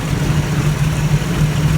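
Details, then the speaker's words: 1984 Toyota FJ60 2F, de-smogged, OEM exhaust manifold refitted with aftermarket carburetor and points ignition: deep, steady, even idle with no misses or knocks, running perfectly fine. "i'm gonna change this all out to electronic but it's running perfectly fine with the with the uh points"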